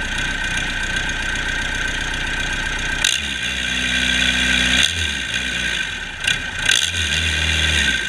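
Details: Cummins 4BT 3.9L turbocharged diesel test run after customer repair: clean idle picking up smoothly into firm revs and back, no knocks or rattles; normal revving.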